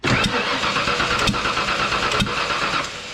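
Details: 1995 Ford F150 Eddie Bauer 4x4 with 5.8 V8: runs rough with sharp snaps about once a second, a valvetrain tick traced to cylinder number one, pushrod popping through; owner expects engine replacement.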